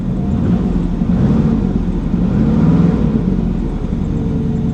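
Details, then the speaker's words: Auction car cranked with a starter suspected to be dying: engine rumbles under a rev with an uneven, lumpy low drone; service engine soon light flashing and misfire not clearing; 40 psi oil pressure; cause not confirmed. "service engine soon light is flashing but she's misfiring and it's not clearing up"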